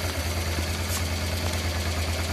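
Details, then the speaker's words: About 1996 Honda Transalp V-twin, after setting the carburettor air-fuel mixture screw to the factory 2.5 turns: previously unstable idle now steady and even, a low thump with no misses or stumbles. "Okay, as you see now from the gauge, but from the sound also of the engine, our engine now works fine. I would say perfect."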